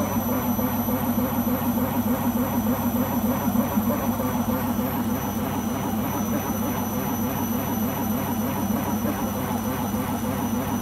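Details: Beko washing machine during the spin cycle: a continuous loud roar with a fast rhythmic throb, much like a vehicle engine; the owner suspects the rubber behind the drum, cause unconfirmed.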